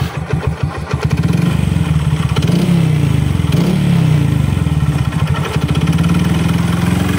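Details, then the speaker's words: Honda XRM 125 motorcycle, kick-started because the starter brushes are worn, idling with a rough, rapid knocking clatter from the crank area; teardown confirmed a damaged connecting rod. "May k nacking na 'yung piston ayan at yung bandang panggilid niya ah meron na rin. So check natin mamaya yung kanyang connectiran."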